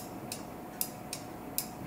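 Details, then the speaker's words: Honda Rancher ATV brake light switches: sharp, crisp clicks each time the left brake lever is worked, which is normal. The faulty right-side switch makes no click and was suspected of making the quad putter out in gear. "This is the left hand side. That's what it's supposed to be doing, okay?"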